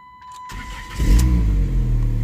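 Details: 2006 Dodge Stratus 2.4L that previously would not crank despite new PCM and starter, restarted after reconnecting: short crank, catches cleanly, settles to even steady idle with no misses; normal start and idle.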